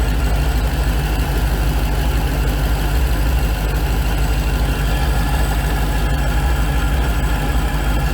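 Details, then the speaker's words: Hellcat V8 at cold start: a faint steady whirr over the idle rumble, heard with an ear at the supercharger snout; suspected worn snout bearings, front or rear at the bearing plate, unconfirmed. "So basically, the bearings, when I put my ear to the supercharger on startup because it's not hot, it sounds like it's coming from right in here. So this is the supercharger snout."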